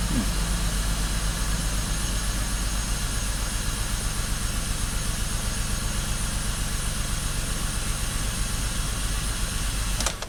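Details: BMW X5 with misfire, checking injector pulse on injectors one and five across both banks; cylinders five and six read lean; steady low idle with faintly irregular beat about four pulses a second, misfire suspected, cylinder unconfirmed.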